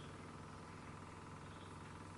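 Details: Samsung air conditioner switched back on after an internal cleaning gives a low, even hum with no knocks or rattles as it resets itself, fan then speeds up; normal start.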